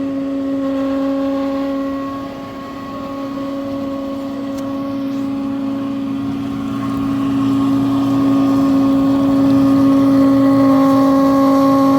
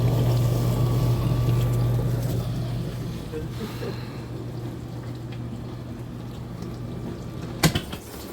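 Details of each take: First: Frigidaire dishwasher in operation: loud, steady droning hum with a strong mid-low tone from a defective motor, fixed by replacing the motor. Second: Frigidaire dishwasher running after replacement of a defective, loud motor: low steady pump hum with water sloshing and spraying, running smoothly and quietly.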